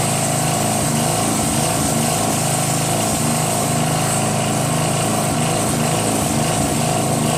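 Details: Northern Hydraulics pressure washer, Briggs 3.5 hp engine with vacuum fuel reservoir, no primer, unused 8 years; after starter fluid start and unclogging rusted wand tip, single-cylinder engine holds steady even buzz; runs normally, pressure weak, gun or pump suspected.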